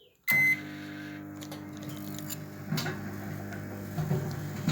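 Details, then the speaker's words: Microwave oven after door latch repair, running with a board inside: click, brief high tone, then steady low hum with faint turntable rattles; normal running. "Okay guys, I think we win it. You will hear it now because the board is there."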